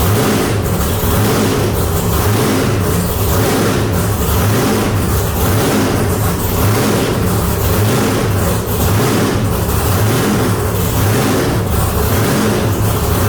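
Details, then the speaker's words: Deathtrap V8 truck first fire-up after rewiring and tightening fuel lines: loud raw V8 blipped repeatedly, pulling up cleanly and dropping back without misses or knocks; normal revving. "all right guys there you heard it death trap back alive sounds good"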